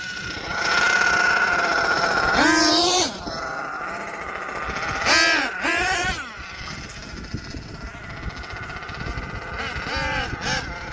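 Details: HPI Savage XL twin nitro truck with Twinzilla kit: engine note surges and sags unevenly, one motor screaming up before the other catches up; motor 2 out of sync, unmatched RPMs, before linkage setting and tuning.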